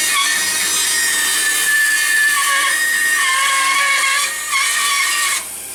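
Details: Craftsman band saw with broken table, after realigning blade tracking: steady high whir with rough rasping cut through wood, even pitch, no knocking or slapping; runs smoothly.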